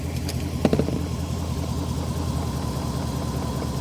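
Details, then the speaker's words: 1990s BMW E34 540i M60 V8 at idle with plug leads pulled one at a time; deep, slightly uneven rumble, cylinder 3 suspected dead since unplugging it gave no tone change. Not confirmed. "Okay, I do think it is this third one, because I don't think I heard that tone change like I did with the other 3."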